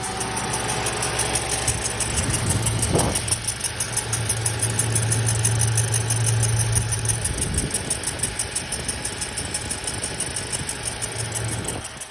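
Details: 2007 Lexus IS250 V6 GDI at idle, noise first noticed after replacing the alternator with a genuine Toyota unit: light, uneven ticking about three to four times a second over the low hum; source unclear.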